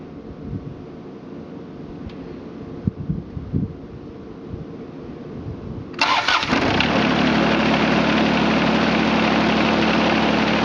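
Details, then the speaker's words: John Deere 455 tractor with about 2,231.5 hours, steering inoperative from a detached hydraulic line: a few quiet seconds, then the engine catches sharply and settles into a steady, even idle with no knocks or misses; clean start. "Does run great. We'll crank it up real quick. Let it go through all of its cycles."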